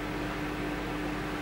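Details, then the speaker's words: Microwave oven after replacement of the burnt mica waveguide cover, which had caused sparking and smoke, tested heating a glass of water: steady even drone with soft fan rush and no arcing or crackle; normal operation. "то есть но ничего не искрит не пылит все хорошо то есть кусочек слюды за 100 рублей и час времени собственно все"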